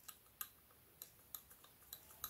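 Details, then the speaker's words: BMW F10/F11 N57 diesel EGR valve removed at 165,000 miles: flap worked by hand gives sharp uneven metallic ticks, a rattle from the worn shaft. The fault is mechanical, not electrical; the flap locks and won't release, so the motor struggles and sets a fault. "mean if this shaft is good and new you will never hear that rattle so this is worn and the problem here is simply mechanical rather than electrical"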